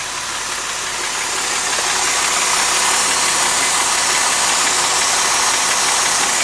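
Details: 2005 Mercedes SLK350, M272 engine: a steady, fairly even knock about 3.5 times a second over a hissy idle. Noise present since 80,000 miles; owner suspects a scored cylinder wall. Engine later failed around 130,000 miles.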